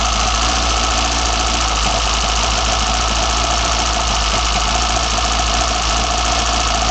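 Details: BMW 318i M10 engine, first startup with newly fitted sidedraft individual throttle bodies: it catches and settles into a steady, even idle with loud open-throttle intake roar and no knocking. Runs clean, normal idle.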